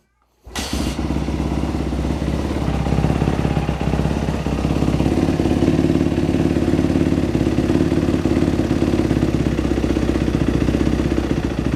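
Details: Dirt bike after a top-end rebuild, refired after idle speed adjustment restored the fuel squirt; catches half a second in, then settles into a steady, even single-cylinder beat with no misses or surging; normal running.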